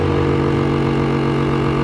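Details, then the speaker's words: Sibon vacuum sealer, new, wouldn't draw air because its exhaust air hose was kinked/blocked; now running: steady, even low drone from the small pump motor, no stalling or rattling, pulling air normally. "udara akan mulai terhisap ya. Nah, coba teman-teman perhatikan, teman-teman amati. Oke, udaranya mulai tervakum alias dihisap."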